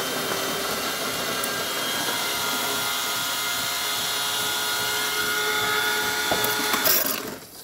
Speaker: so you hear that sound back here that is the pump and the pump is located right here on the back of the machine and that's a normal sound for a pump